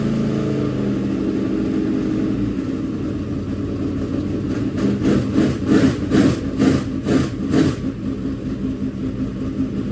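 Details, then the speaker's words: Freshly built dirt track race V8 engine break-in run at about 2000–2500 rpm to heat it and break in bearings: deep even rumble with throttle swells, no knocks; normal running. "we gotta let it break in so we gotta run it like 2 000 2500 rpm for a while let it get heat in it break those bearings in"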